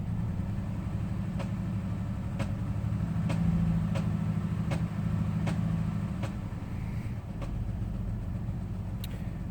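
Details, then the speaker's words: Jeep Liberty that had misfire codes P0300, P0302 and P0304; coils and all six spark plugs replaced but P0304 keeps returning. Sharp loud ticking over the engine rumble appears around 1500 rpm and above, cause unknown. "I'm still getting the 304 code and the vehicle has a loud ticking sound usually around 1500 RPM and a higher that I can't figure out"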